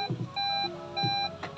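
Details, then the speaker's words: 2012 Toyota Vellfire ZG Premium Sound ANH20, 2.4 L four-cylinder petrol automatic, just started with the push-button: short electronic beeps repeating about every half second, a dashboard warning chime of unknown meaning. "ini warning apa lagi nih?"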